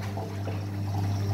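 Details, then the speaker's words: Electrolux EWS 1046 washing machine, never repaired apart from a once-broken power cable, recirculating water during fill to dissolve detergent: steady low pump hum with water swishing and trickling, running evenly as it should. "Работает циркуляция воды."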